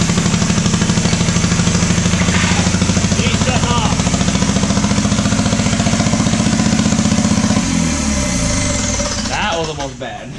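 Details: Diesel truck that sat five years, during a start attempt: a rough, lumpy beat with uneven loping pulses that dies down. Running on only one cylinder; the injection pump was removed and refitted afterward.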